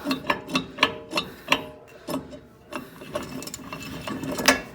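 Irregular gritty clicks and crunchy ratcheting as a loose bearing is turned by hand, rough and notchy.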